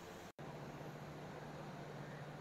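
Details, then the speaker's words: 2002 Ford F-350 6.8 L V10 gas, cold idle a couple of minutes after spark plug replacement, not yet warmed up: steady low hum with no skips or stumbles; no misfire codes or check engine lights. "it's been a couple minutes it's still uh still not warmed up but no check engine lights is already like misfires or anything so I think we might be okay"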